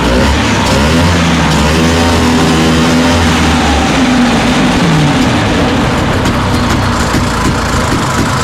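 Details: 1969 Ski-Doo Olympic two-stroke snowmobile engine, running on a temporary auxiliary gas tank after carburetor work: steady buzz with fairly even pitch, no misses or knocks; starts and idles cleanly.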